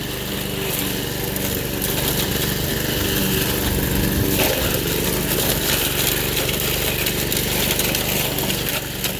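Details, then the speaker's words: Toro 53 SP self-propelled mower after refitting the belt on the blade brake clutch, cutting through brush; steady small-engine drone with blade thrash, no misses or surging. Normal running under load. "it's cutting pretty good that's true sir no complaints"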